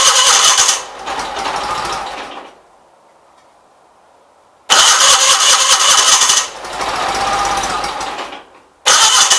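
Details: 1976 Gravely 816 tractor, after replacing a missing fuse in the fuse holder, carburetor possibly leaking: engine catches in loud bursts with a quiet pause between, firing readily on each try, no misses; normal start.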